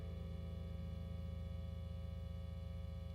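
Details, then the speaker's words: Foals FJM7 Ultra Jazzmaster copy with upgraded pickups and electronics, bridge-only pickup position: a constant low 60-cycle mains hum with stacked higher tones. "Now, when we switch over. To our bridge only position. You can hear the 60 cycle hum for sure."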